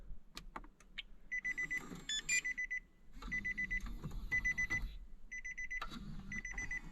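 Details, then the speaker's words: Damaged Nissan 370Z at key-on after charging the battery to about 12.2 V: bursts of fast, high-pitched beeps repeating irregularly about once a second; the CD player/head unit beeps erratically at power-up. "we've got power and the CD player is going nuts right now"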